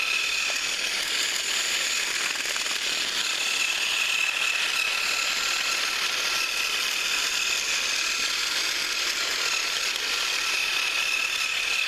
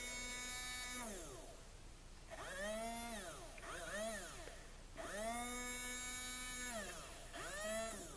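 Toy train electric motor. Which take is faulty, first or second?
second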